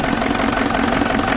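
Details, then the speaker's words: 2007 BMW E65 745d 4.4 V8 common-rail diesel, 242 kW, idling with cover off: steady idle with even, repeating hard knocking; injectors suspected, not confirmed; known EGR problem, EGR valves unplugged with no change. "as you can hear the sound is clocking knocking we talked that probably some of the injectors can be gone but we're not sure about that"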